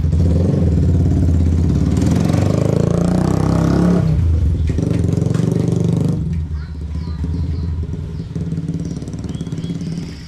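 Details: Yamaha Vixion that had a very noisy, rough engine, after reassembly and fitting a new NGK spark plug: even exhaust beat, revs cleanly and settles back without knocks, rattles or misses; sounds healthy and smooth.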